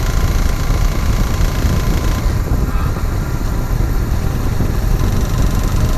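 Low idle with a fast uneven ticking knock running through it, a knocking engine of unknown cause.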